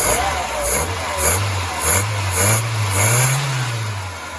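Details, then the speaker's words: VW Polo Mk2 van with Pierburg 1B carburettor, after carb work to cure poor running, started indoors: engine catches and takes light throttle blips, rising and falling smoothly with no stumble; exhaust no longer puttering, running cleanly. "I need to get it outside to run it up, but I'm pretty happy with that. That's pretty good. And the exhaust isn't puttering nowhere near like it was."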